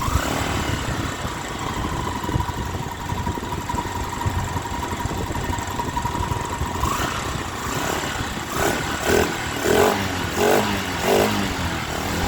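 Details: Honda Sonic 125 that would not start, with new carburettor flooding from dirt: fuel line replaced and fuel filter added, now it starts, cover left off to watch for flooding. Small single catches and settles into a steady, even putter; normal idle.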